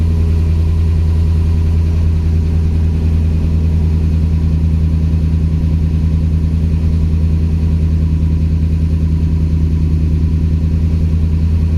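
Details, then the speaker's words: 2007 Dodge Ram 4.7L, stone cold start, P0507 high idle code, idle control valve replaced, throttle position 0%: steady fast idle that never settles; suspected vacuum leak, possibly rear of engine. "So this thing can't go down. So we're at 0%, and it obviously can't go any lower than 0. So we must have a leak here somewhere."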